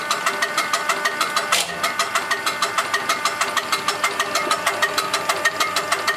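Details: Diesel engine with a UTN-4 injection pump, tested after pump repair and adjustment. A crisp, evenly spaced clatter holds a steady idle with no misses or extra knocks; the pump works properly.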